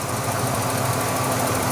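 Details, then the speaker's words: 1994 Ford Bronco XLT petrol engine idling smoothly after a complete TTB steering upgrade. It has no power steering pump whine, and it is so quiet the injectors can be heard clicking. "no power steering wine at all I can hear the injectors clicking that's how quiet it is"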